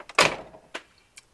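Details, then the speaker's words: 1979-93 Ford Mustang Fox-body door closing during a comparison of door-to-body weatherstripping, with nothing else done to the door. One crisp, solid latch click with a light follow-up and no rattle or rubbing. The door closes normally and opens smoothly. "sounds pretty good closes perfectly opens really smooth"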